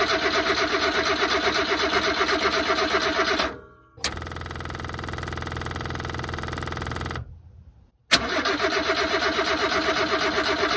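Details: Subaru Sambar kei truck after winter sitting, fuel line reclamped, battery running low: three bursts of steady starter cranking, about three turns a second, no catch. Crank no start; owner suspects fuel pump may be dry.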